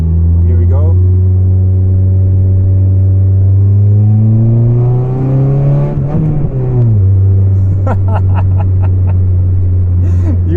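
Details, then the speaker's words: Volvo 440 with exhaust broken and come apart, accelerating from traffic lights: loud, deep, beefy rumbling roar swelling with throttle, massive exhaust leak. "but now when I accelerate it has a really epic beefy sound that I wouldn't want it to have all day but for 20 minutes or so it's a lot of fun"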